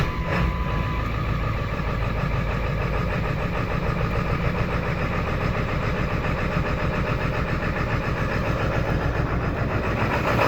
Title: 7.3 rough idle after sitting